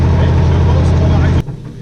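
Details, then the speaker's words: Renault 461 tractor diesel running again after a fuel supply fault was fixed; steady even chug with no misses or stumbles; seems to work, dirt suspected in tank, cleaning planned. "ça a l'air de fonctionner."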